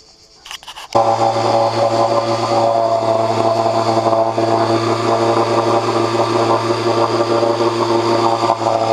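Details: 1986 Johnson 4 hp Seahorse two-stroke outboard, long stored, after cleaning clogged water passages for overheating: pull-start catches at once, steady even buzz, no misses or knocks; head temperature dropped from almost 190 to about 80–120.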